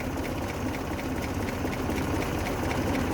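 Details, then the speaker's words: 1923 Buick Model 34 Roadster, inline four-cylinder with three-speed manual, recorded at the driver's side of the engine bay: quiet, even tick-over with a soft steady patter and no knocks or misses, very smooth, a healthy normal idle. "i'll tell you where to check those out one last time listen to that very very smooth"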